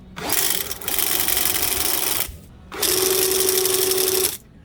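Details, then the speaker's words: RIDGID K9-102 FlexShaft drain cleaning machine: two even runs with steady mid whir and hiss, almost no vibration or noise, no knocking or rattle; normal running. "하지만 얘 같은 경우에는 안정적으로 진동도 거의 없고, 오늘 소음이 없어서 정말 좀 많이 놀랐어요."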